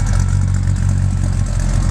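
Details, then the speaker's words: 1978 Chevy K5 Blazer, 350 crate V8 with Holley Sniper fuel injection, TH350 transmission; deep mellow even low rumble with steady lope at idle, no knocks or ticks; healthy idle. "nice a very deep mellow tone with a small camp"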